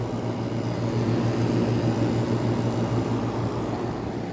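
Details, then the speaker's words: 1985 WCI air conditioner on its first test, a Sanyo rotary compressor with a two-speed fan and metal impeller drawing about 5.25 amps, gives a soft, even hum and steady fan rush with no rattles; it is running normally and very quietly. "there's all that detrus you can't even hear that the compressor is running this is this one's even quieter than the montg reward that Al that has a Sano just like this one listen to how quiet that is"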